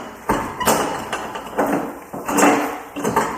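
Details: Arctic Cat Wildcat 700 UTV, used with unknown history, on a lift: uneven dull knocks about once a second as the rear wheel is rocked, hollow spring echo after each; worn rear bushings let the rim contact the spring, bushings to be ordered.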